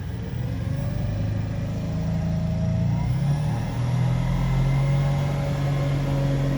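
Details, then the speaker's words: Van converted to an electric drive system on roughly 12-year-old batteries, revved in neutral in a first motor test with the wiring still unfinished: a smooth low hum rises and holds, with no knocking, grinding or rattle. The motor sounds normal. "so with the vehicle in neutral I'll shut up for a second and rev it so you can hear what it sounds"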